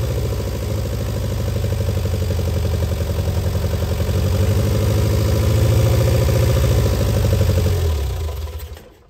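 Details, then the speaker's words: Barn-find Austin-Healey Sprite, engine previously seized and freed, head just refitted, started on choke with a jump pack: an old four-cylinder runs with a fairly even beat that swells with throttle, then dies off; engine runs again. "it looks like it runs that's all i have time for today it's been a long time coming to get barn sprite number three up and running"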